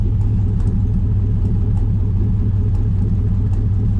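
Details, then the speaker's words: LS-swapped Pontiac Firebird, warmed up, idling in drive: low, uneven rumble that putters and breaks up instead of a clean beat, and it gets better in neutral; the owner suspects a fuel issue, possibly a clogged fuel filter, unconfirmed. "it's like kind of puttering, you know. Put it back in neutral. Gets better."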